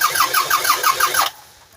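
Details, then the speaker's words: 1999 Toyota Sienna with random-misfire codes P0300/P0302 on a compression test, fuel/EFI fuse pulled: cranking chuffs. Cylinders 4 and 6 read about 180–190 psi but cylinder 2 only about 5 psi, with mechanical noise there. Low compression in cylinder 2, suspected valves. "i suspect it was the wow because there was some mechanical noise going on in number two cylinder"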